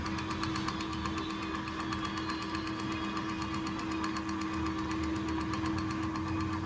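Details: Crompton ceiling fan after coil rewinding, varnishing and bearing repacking, tested on series line with 200 W bulb: steady low motor hum with faint light ticking, even; spinning smoothly, normal running.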